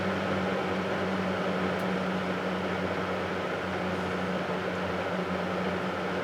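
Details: Vintage 7-blade Hunter box fan after its motor was cleaned and oiled, running on high then low: smooth, steady motor hum under an even rush of air, no rattles or grinding; amp draw right at specification, running normally.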